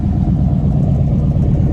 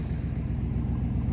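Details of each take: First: Chevy C2500 pickup after new spark plugs and plug wires cured a skip, with some spilled oil burning off the manifold: deep, steady idle rumble with no stumbles or skips; engine fires evenly and runs much better. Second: Chevrolet C2500 truck at idle with poorly fitting plug wires: low uneven idle with periodic stumble and sputter, door shaking in gear; ignition misfire/skipping, otherwise runs fairly well.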